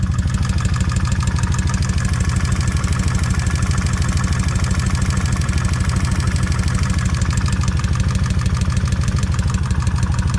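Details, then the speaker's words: Kawasaki Vulcan 1600 V-twin, warming up, after drilling the rocker-arm oil bolt to increase oil flow: even idle with a steady light tap about three times a second on the front cylinder, quieter than the rear; lifter tick persists. "You can definitely hear a tap here. Sounds like I can hear some tap, but it's not as bad as it is on this rear."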